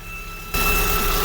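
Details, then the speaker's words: Engine running with the drive belt removed, microphone underneath: thin steady high-pitched whistle over a rough idle, louder as the engine picks up, still present so it is in the engine, not accessories; cause unconfirmed. "Meron? Meron pa rin? Oo, nasa engine."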